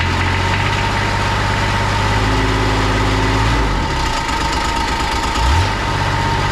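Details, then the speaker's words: 2001 Kawasaki Mule 2510 diesel at idle: heavy low idle with a loose, shaking rattle that disappears with a little throttle. With the drive and secondary clutches removed it runs quiet, pointing to a worn CVT drive clutch bushing. "Now this machine rattled really bad at idle. It would go away once you gave it a little bit of throttle, but I wanted to confirm whether or not that was coming from the clutch"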